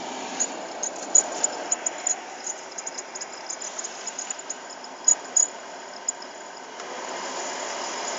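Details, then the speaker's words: VW Polo Sedan heater blower after a night at -16°C, cold car and cabin, recirculation on: irregular sharp squeaking over fan rush at third speed, gone at second speed; blower fan squeak. "Третья скорость. Противный пищащий звук."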